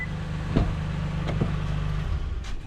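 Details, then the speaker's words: 2017 Toyota Highlander remote-started by a newly installed Start-X plug-and-play kit: steady low idle rumble, a couple of door clicks, then the engine cuts out cleanly after about two seconds as designed, since opening the door shuts it off for safety. "When I open this door, it's gonna shut off and you get in."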